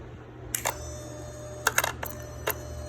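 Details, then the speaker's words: Key-on bench test of a 5.7 Hemi swap harness and PCM (Hemi-swapped Cuda): sharp clicks as the ASD relay energizes, a short buzz from the throttle body handshake, then clicks off; relay and throttle body self-test normal. "Okay, do you hear that? It energizes the relays, ASD relay, and then clicks off. So on mine, it does the handshake with the throttle body."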